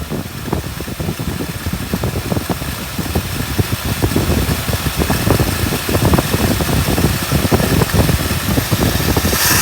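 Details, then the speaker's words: 1959 Buick V8 running nicely after a crank-no-start with weak spark, with toggle switches apparently wired to two ignition coils: steady burble with loose, even pulses, no misses or knocks. Normal idle. "Yeah, interesting. She's running nice now."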